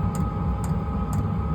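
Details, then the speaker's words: Newly installed diesel heater on a boat, running and heating: soft even ticks of the pulse fuel pump about twice a second over a low steady fan hum, quiet; normal diesel heater operation. "pretty quiet and uh I can't feel it but got good heat coming out of here"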